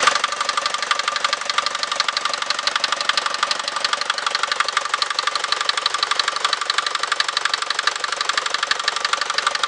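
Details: Mercedes Vito 110D with 2.3 TD OM601 diesel at idle: sharp, even metallic knocks about 1.5 per second above the diesel clatter; engine knock, cause unconfirmed.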